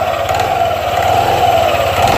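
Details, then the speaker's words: Yamaha NMAX/Aerox 155 CVT at idle and pulling away: steady drive whine over a coarse shuddering low rumble as throttle opens; CVT clutch judder from weak clutch springs. "Jadi pas pada saat langsam eh gue ada getar dan merasa tugas Ah ini kelihatan tampilnya getar banget ya"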